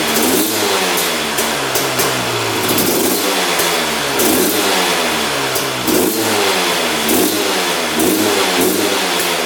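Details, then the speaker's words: 2001 Honda CR250 two-stroke that the seller said would not run, fired on the choke; raspy blips about every 1.5 s that pick up lazily, smoking a lot; sluggish throttle, owner suspects rich running or fuel mixture, unconfirmed. "It is smoking quite a bit and on the throttle it's not, you know, super responsive. So, to me, it does seem like it's running a little bit red. But that could be the fuel mixtu"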